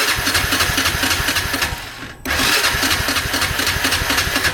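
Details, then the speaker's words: 1998 Honda Foreman 450 ATV, 2,073 miles, 524 hours, choke on then off in neutral: steady starter churn about four beats a second with a few weak puffs and a brief stop; cranks but never fires. "A couple. Yeah, it doesn't want to fire."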